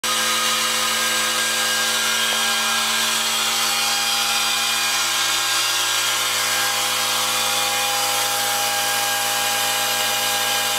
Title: A/C Condenser Unit Makes Loud Screeching Noise